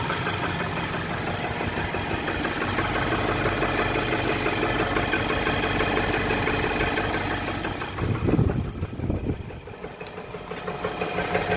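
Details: 2018 Nissan, 30k miles, idling in drive held by handbrake: faint regular tapping about three per second, an idle engine knock of unknown origin.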